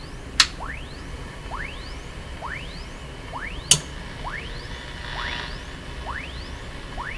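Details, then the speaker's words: Sony TR712 transistor radio, being checked for distortion after its capacitors were replaced: repeated rising whistles over hiss caused by a nearby radio's local oscillator interfering. "you hear the whine come out of this radio? We're hearing that radio, not this one. So what's happening is the local oscillator in this radio is affecting this other radio."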